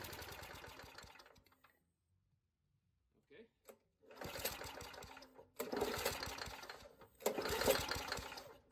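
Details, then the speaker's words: Old Murray push mower, 3.5 hp Tecumseh engine (about 1989–99), running only on carb cleaner sprayed into the intake: short sputtering bursts that die between shots; owner concludes the carburetor needs rebuilding. "okay well there you have it needs carburetor rebuild I don't have one"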